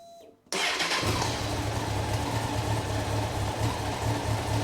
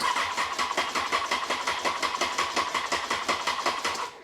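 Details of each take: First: Rebuilt Honda CBR954 Fireblade after six-month rebuild, restarted with tank down: fires at once and settles into a smooth, even idle without stalling; owner thinks earlier stumbling was fuel working through; normal start and idle. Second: Honda CBR954 Fireblade after six-month rebuild including gearbox work, first start attempt: starter churns the engine slowly and laboriously, about three pulses a second, never catching; battery too weak, needs more charge.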